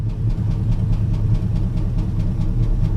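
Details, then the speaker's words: Chevy C10 that sat about 5 years, just started, cold, no coolant, exhaust cut off: loud deep uneven lumpy idle with some vibration; runs rough, but no rod knock heard yet. "I don't hear no rod knocking we'll see we'll have to let her warm up a little bit because again I don't have any water in it it sounds terrible because he's cut the exhaust off of it but okay there's a little vibration there"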